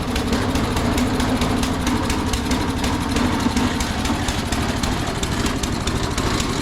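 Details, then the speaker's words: Toro 22-inch Recycler with Briggs & Stratton 6.75 Quantum auto-choke engine, customer says it keeps dying: loud, uneven, rough beat; the choke is stuck and not opening, spring to be fixed. "Good lord. Well, something's wrong with that choke. It ain't opening."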